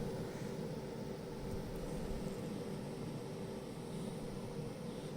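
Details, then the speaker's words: Milwaukee M12 battery charger after adding snubber circuits (100k resistors) to damp oscillations, transformer rework didn't help: low steady hum with a faint tone, almost inaudible, no buzzing or whine; consumption still 40 W. "І тепер для порівняння вмикаю зарядку. Все, тишина. Споживання, як і було, 40 Вт. Звук ледч є такий."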